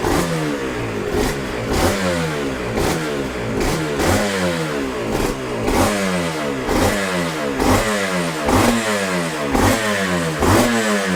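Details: Yamaha TZR 250 3XV 1990s twin two-stroke, first start after wreck-to-runner rebuild, in neutral: regular rev bursts about twice a second, crisp rising and falling pitch, smooth idle; normal, healthy running.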